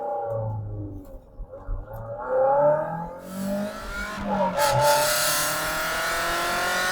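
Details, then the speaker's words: MG TF, warmed up 45 minutes, road test after new O2 sensor and fuel filter fixed rough running and hesitation: engine pulls smoothly up to about 6,500–7,000 rpm under load with road and wind rush, no hesitation. "nice pulling all the way up 6 and half th000 7,000 reps sounds great feels good we're back back in the game"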